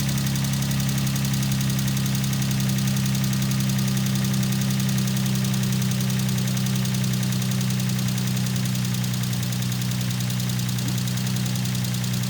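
Deep steady V6 idle with a faint, fast light ticking riding over the hum; top-end tick suspected but unconfirmed.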